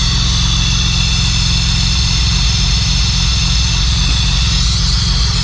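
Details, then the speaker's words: 2006 Honda Accord V6 J-series, first start after Stage 2 cam install with valve and timing belt adjustment, untuned: steady idle with strong airy hiss; one hose left disconnected, quieter once reconnected. "I was like, what the fuck is that noise? There we go. Isn't that better? Yeah, I was like, what the fuck is that noise? That doesn't sound right at all."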